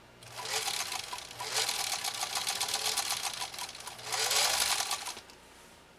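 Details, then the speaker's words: Restored Singer 66-16 sewing machine with renewed motor, stitching compressed felt: bursts of fast even stitching over a smooth whirr spinning up like a little turbine from the motor's pulley system; normal healthy running. "you kind of hear it almost sounds like a turbine room i personally love that sound i think it's so cool you can just hear that reserve power just kind of kicking in"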